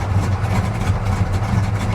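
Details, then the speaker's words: Deep, even low rumble with no knocks, misses or surging; the 74 El Camino, started after sitting, runs rich but settles into a smooth purring idle while dash lights flicker. "wow yeah dash lights come and go as they please she's running though she's running"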